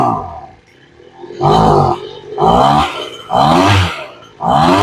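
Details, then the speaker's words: Two-stroke blower with freshly rebuilt carburettor during tuning, high-speed screw (affects open throttle) set too lean: four rev bursts where pitch sags and wavers instead of climbing; bogging on throttle, lean high-speed mixture. "now if yours were bogging down like this you say okay let's give it a little bit more"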